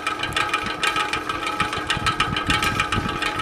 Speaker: but you can hear that noise that's definitely the bearings which have cr around the bearings not much I can do about